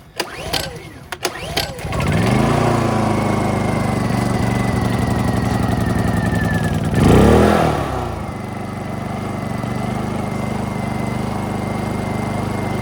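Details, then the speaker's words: Honda EU2000i generator right after cleaning a badly fouled carburetor and reassembly: catches after a few pulls, runs fast and even, then drops to a steady, smooth lower speed; runs better than before, owner credits two idle-jet O-rings. Normal running. "It works, and actually, believe it or not, it runs better than it ran before, and I have a feeling it's because of those 2 O-rings on the idle jet."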